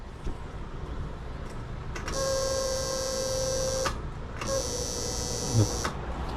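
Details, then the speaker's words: Honda (model name garbled in speech, possibly a 110i) fuel pump motor, inside the fuel tank, runs with an excessively loud, buzzy whine in short bursts; the bike runs normally and the pump isn't faulty, but the customer dislikes the noise, and the fix is replacing the pump motor. "กระหึมครับความจริงมันไม่ได้เสียหรอกครับแต่ว่าลูกค้าไม่ชอบเสียงมันครับ"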